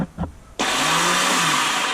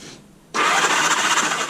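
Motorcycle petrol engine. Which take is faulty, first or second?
first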